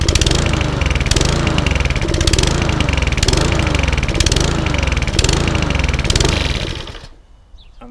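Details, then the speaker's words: Lawn mower with SV/RV 150 carburettor, apparently petrol mix in the tank instead of plain fuel; revs swell and sag about once a second before cutting out, hunting/surging diagnosed as a carburettor issue, fixed by carb service and tank flush. "The revs are going up and down, which tells me it has a carburetor issue."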